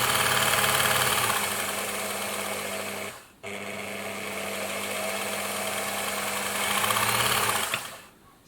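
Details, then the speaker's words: Bernina sewing machine with Type 200 foot controller, after adjusting the controller that had only given full speed: motor hums steadily with fast even needle clatter, easing down and picking up smoothly; speed control working properly. "So that's looking a lot better now, a lot more controllable."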